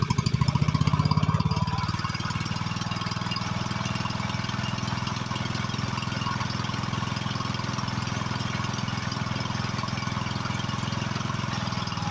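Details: Husqvarna YHT20K46 riding mower after an engine swap (original reportedly blown), hood closed: brief louder start, then even thumping at a steady fast idle, smooth and consistent; normal running.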